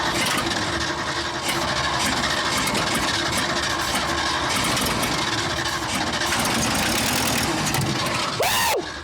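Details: Abandoned 1979 Ford F-350 dually, long off the road, on a first start attempt after starter work; rapid cranking with sharp pops spitting back through the carburetor and a fire breaking out before it cuts out: carburetor backfire during cranking.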